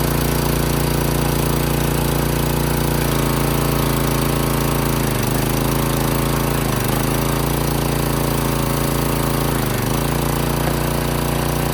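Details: Craftsman pressure washer with a Briggs & Stratton single-cylinder engine, after bolt-hole cleaning and refuelling an empty tank: loud, steady drone holding an even speed without stumbling or surging. Running smoothly and healthily.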